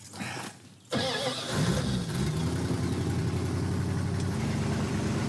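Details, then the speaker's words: Tow truck with a massive vacuum leak, choke wired partially closed as a workaround: brief crank, catches, then an uneven, lumpy, wandering idle. "We've got a massive vacuum leak on this thing. So, I'm going to do the right thing and just wire the choke partially closed."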